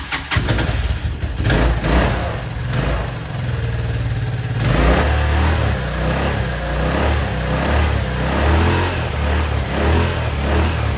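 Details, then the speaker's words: Honda Helix scooter bought cheaply at auction, first start attempt with fresh fuel, new pre-filled fuel line, fuel in float bowl and carb: fires, then stumbles with an uneven, sagging idle nearly stalling before it catches and keeps running. "fire it up. Oh, it's gonna die. It's gonna die. It's running."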